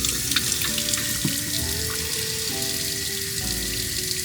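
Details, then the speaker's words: Camper van water system, about 12 L in the tank, pump under the sink switched on: steady water rush from the tap with no spluttering or air bursts, pump audible and expected to cut off; normal water flow. "so there was water in the system then for that not to splutter and you can hear the pump it should cut off"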